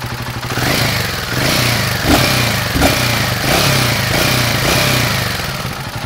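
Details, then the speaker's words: Royal Enfield Himalayan 450 at about 4500 km, after cam chain tensioner, head parts and tappets replaced, mic held by hand: steady single thump with light even valve tick revving; earlier chattering noise gone, engine healthy. "मेरा Himalayan 450 शब्दों का उसने सुना। और आप शायद पिछला video तुलना में यह शब्द थोड़ा कम महसूस करें हो गया।"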